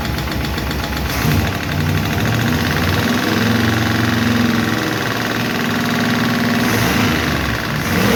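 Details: 1951 Chevy truck engine idling after starting, with light, rapid valve-lifter clicking that keeps time with it; a lot better than before, but number 4 intake and number 2 exhaust still tick while number 2 intake seems okay; owner plans to tweak those two.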